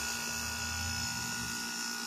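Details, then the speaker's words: 2002 Whirlpool 5000 BTU window air conditioner, weak cooling and very slow fan despite capacitor swap: compressor clicks on, then steady buzzing hum with whiny hissy edge; compressor runs but is noticeably loud. "it just clicked on compressor is a little bit noisy [Music] it's a reef reaching and it doesn't sound awful but it it's definitely a little loud"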